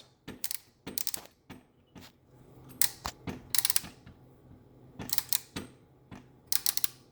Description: My Pyro 750-50 has started making a strange clicking sound when you turn the motor by hand after it gets hot.